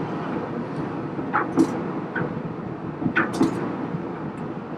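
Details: Amana dryer after replacing the heating element (DPD 279838) for a no-heat fault, fully reassembled with the vent hooked up and the back panel on: even tumbling rumble with an occasional soft thump, no squeal or scrape; running normally.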